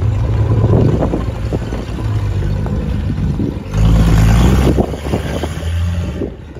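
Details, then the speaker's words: 1936 Bentley drop head coupe six-cylinder, about 15,000-16,000 original miles, after 50 years of storage with cleaned SU carburetors: low, even burble with a brief rev, catching cleanly without misses or smoke; sounds healthy. "when it started up for the first time in 50 years, it doesn't smoke, it sounds good."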